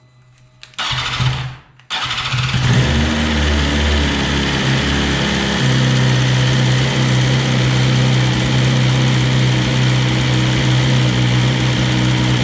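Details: 2020 BMW S1000RR at its 600-mile first service, started briefly after an oil change with 4 quarts to cycle oil: starter whirs, engine catches and settles into a smooth, even idle with a steady low hum. Sounds healthy.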